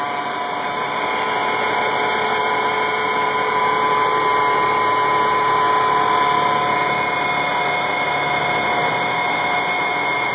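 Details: 1986 AM General M35A2C (with winch, 7,331 miles, 260 hours, all original) idling after a cold start at 26 degrees, unstarted about 3 months; steady, even diesel clatter with no misses or stumbles, a normal cold idle.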